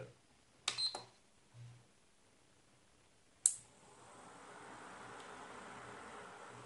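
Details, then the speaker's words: Epson projector converted to LED with added 2-channel relay (10A 250V) switching LED driver and lamp-present signal: at power on, a sharp click of both relays tripping together, then cooling fan spins to steady hiss; normal relay operation. "so let me switch it on and you will uh heard the sound of trip of the both relay at the same time"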